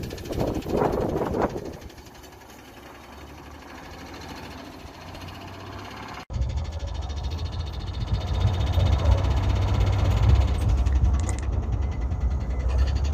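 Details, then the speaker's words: 1988 Chevrolet S-10 Durango on test drive: rough engine under load with an uneven knock about twice a second, growing louder as it pulls; engine knock, cause unknown. "I hope you can hear that knocking. Oh."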